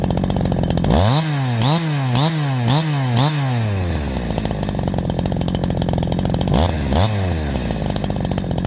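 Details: Holzfforma G372 chainsaw (Farmertec clone) after crankshaft seal replacement for a factory air leak that kept it from tuning, OEM carb fitted earlier; 24in bar, cutting hemlock: snaps to high scream on each blip, holds speed in cut without bogging.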